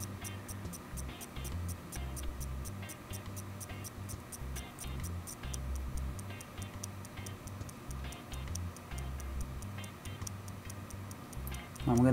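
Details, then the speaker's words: Seagate 1TB hard drive, previously dropped with heads stuck and damaged in a failed release attempt, now spinning up after head repair: light, even ticks once or twice a second, much better than before, normal spin-up clicking until ready signal. "a little bit because these sounds are much better than what this drive used to be sounding like there we've got a registry for ready signal"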